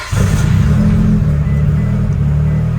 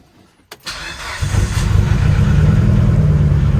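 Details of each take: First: Built 2.2L Mitsubishi Evo 9 (42 psi boost, 8000 rpm limit) after harmonic balancer bolts snapped, running the refitted stock balancer: deep even engine note, no stumble or Subaru-like uneven sound, runs fine. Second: Built 2.2L Mitsubishi Evo 9, 42 psi boost, 8000 rpm limiter, after snapped harmonic balancer bolts: starts then lumpy uneven idle with off-beat thump, sounds like a Subaru; misfire.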